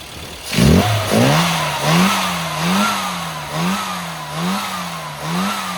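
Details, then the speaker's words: Engine after fitting a new curved distributor giving correct mechanical and vacuum advance, blipped about once a second, revs rising and falling cleanly with no stumble; normal running after timing correction, fueling still to be rechecked. "Sounds better now, doesn't it? Sounded good before."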